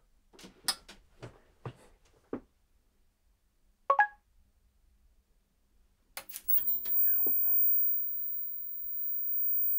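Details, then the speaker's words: Commodore CRT monitor switched on via an isolation transformer with dim bulb in circuit: a few switch clicks, then a thin, very high steady whine rises as the tube powers up; normal high voltage, nothing odd at back. "that actually sounds good i can hear the high voltage i don't see anything odd going on in the back so maybe this one just works"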